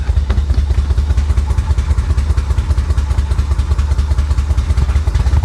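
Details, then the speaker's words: Flood-damaged Florida Corvette running on fresh fuel from its own tank, owner suspects dirty fuel injectors: heavy lumpy low rumble with irregular chuffing beat about twice a second, shaky misfire, improving as it runs. "oh wow that doesn't sound healthy that doesn't sound healthy at all"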